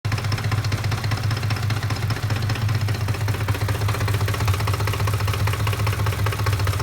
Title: 2007 Ford F-150 5.4 Random Rough Idle